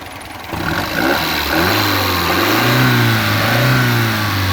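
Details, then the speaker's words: 1967 Alfa Romeo Giulia Super with a newly installed 1600 Nord engine and original-style air box and filter; it blips cleanly from idle with a smooth rising note, no misses or knocks. It revs freely and runs smoothly. "These little 1600 engines rev really nicely, so just to get that done. But other than that, it's running quite smoothly."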